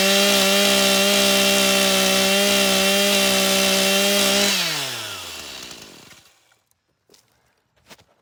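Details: Stihl MS 182 C-BE two-stroke chainsaw after a morning cold start and a minute or two of idling. A high, steady scream holds pitch at full throttle through the cut, then winds down cleanly: normal cutting under load.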